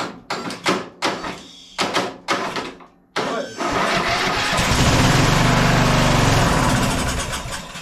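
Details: Scotts 15/42 lawn tractor after key switch and solenoid electrical repair, cold day, engine oil very low: a few starter bursts about three a second, then catches and settles into steady even idle; normal start and idle.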